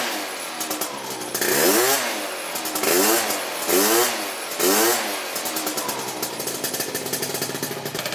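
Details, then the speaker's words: Honda Elite AF16 72cc scooter two-stroke with newly fitted SmartCarb carburetor; high-pitched buzzy revs blipped in short rises, a little burbly and uneven between blips; owner thinks it is running a little rich. "about to go give it an actual ride now though I think it's running a little Rich it sounds like"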